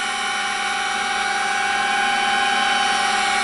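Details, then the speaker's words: Sperry C-5 direction indicator gyro (1949 design, WWII-era USAF), powered by 3-phase 115 V AC 400 Hz: clean steady high whine with a smooth even hum, no rubbing or wobble, spinning freely; sounds much better. "Similar noise, huh? Maybe a little bit better. It Sounds much better. It should take 2 minutes, but we're not that patient."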